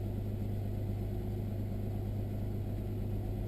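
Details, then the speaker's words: 1999 Nissan Maxima V6 after replacing bank 1 and 2 ignition coil packs that had caused misses and stumbles; service engine soon light on for an O2 sensor: low steady even idle hum, no skips; running smoothly. "but it's feeling pretty good right now"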